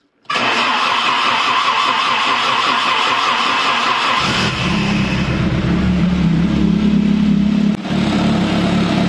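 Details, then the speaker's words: Commer with 2.3 turbo, first start after fitting in-tank fuel pump with full tank: cranks, fires quickly, flares, settles to steady even idle with only exhaust burble, no pump whine; pump so quiet exhaust sounds louder. "that Pub is so quiet it actually makes the exhaust sound louder amazing"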